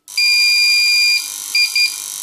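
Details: Powercom PCM RPT-600AP UPS (360 W, 2019) on 220 V mains: steady high alarm tone then repeated short beeps over a faint buzz; not charging or detecting mains, caused by two dried capacitors, 10 µF 100 V and 100 µF 35 V.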